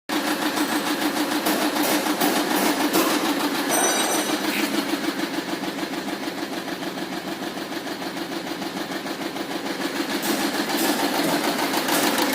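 Fast, fairly even rattling pulse, about three a second, over a harsh engine clatter; an abnormal noise, cause not identified. Cause suspected, not confirmed.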